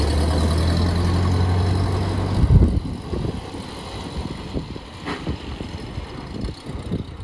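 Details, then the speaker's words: 1928 Ford Model A four-cylinder, long-sitting car, now running off its own fuel tank instead of a bottle, no fuel leaks: low steady engine drone giving way to quieter rumbling and road bumps as it drives off; runs smoothly. "it's looking good no leaks out here or inside I can finally see how it drives"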